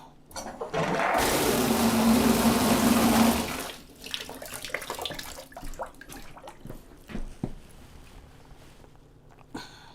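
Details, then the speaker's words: A.O. Smith water heater after clearing the outlet blockage, a rubber flapper possibly still inside: strong steady rush of water that then tapers into drips, showing outlet flow is now restored. "But I know one thing. We definitely got water flow now. We definitely got water flow."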